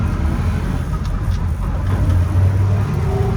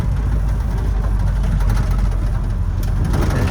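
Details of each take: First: Toyota FJ40 Land Cruiser running through the gears in a parking lot; low steady drivetrain rumble with mild gear hum, which the owner considers normal for FJ40s, though fourth has a bit more whine. Normal gearbox gear noise. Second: Toyota Land Cruiser with power steering, driving slowly in fourth gear in a parking lot; heavy low engine rumble with a faint gear whine, windows rattling, yet it pulls well and shifts fine. Gear whine in fourth gear.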